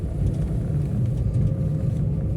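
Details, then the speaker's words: Maruti Eeco 2021 CNG, 31,000 km, which had RPM fluctuation: after throttle body cleaning and throttle calibration, steady, even low drone under way, no misses, surges or hunting; idle perfect, runs smoothly. "After calibration स्मूथस है कोई भी RPM fluctuation नहीं है idol प एकदम perfect है"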